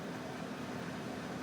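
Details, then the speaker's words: New inverter window air conditioner running on high fan. Smooth, even whoosh of air with a soft low hum, no rattles or rubbing: normal running. "so far so good i'm impressed with the way this thing starts and runs so far we'll see if this new inverter technology works"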